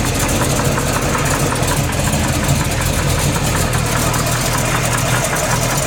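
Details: Freshly built SBC 350 (aluminum 64cc heads, .500/.510 lift, 10:1 flat-top pistons, Edelbrock intake, 600cfm carb, likely out of tune), idling in gear: sharp steady tapping over the rumble; knock persists with plug wires pulled, owner suspects piston slap or flexplate.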